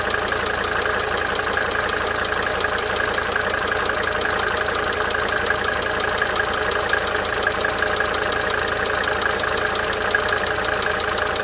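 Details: 1992 Mercedes-Benz 300D 2.5 turbo diesel idling with light, quick ticking rising and fading in cycles over the steady idle; injector ticking.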